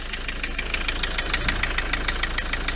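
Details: Ford Transit MK7 2.4 RWD diesel van at idle, bonnet up: sharp metallic knock six or seven times a second, seeming to come from the front; pulleys checked and not loose; owner suspects the dual mass flywheel, still investigating.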